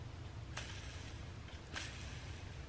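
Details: Old skateboard wheel bearing, hand-spun after cleaning attempt: low, gritty rumble with two sharp flicks; bearing too far gone, worn and rough, replaced with Bones Reds.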